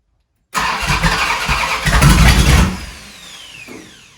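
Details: 1971 Dodge Charger Super Bee 383 Magnum, cold start after valley pan change for suspected intake leak: short cranking burst briefly catches with a rough, uneven rumble then fades; reluctant start, owner suspects problem not fixed, maybe just cold.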